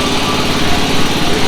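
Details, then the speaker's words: Small single-cylinder engine on a cold day, running a few minutes after revival: fast, steady chug with faint odd stumbles; owner suspects it misses every now and then. "it's running it's been running for a few minutes now so I don't know it seems like it misses every now and then"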